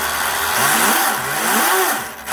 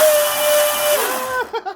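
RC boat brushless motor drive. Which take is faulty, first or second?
first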